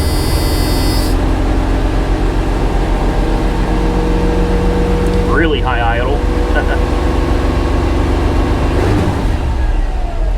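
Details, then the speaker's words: 1985 GMC C1500 Sierra with new intake, first start of the day, idle turned down: steady even smooth idle, no knocks or misses; normal idle. "kick it down a notch there we go she's running very very well very well"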